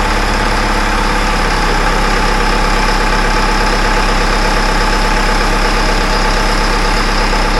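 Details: Caterpillar wheel loader after installing a new 24-volt starter: steady, even diesel idle with a deep consistent clatter and no misses or knocks; normal idle.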